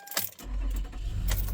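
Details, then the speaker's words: 2013 Toyota Kluger/Highlander with over 300,000 km and good service history: keys rattle, then the engine fires at once and holds a smooth, steady idle; a quick, healthy start. "starts up straight away always has always will good service history"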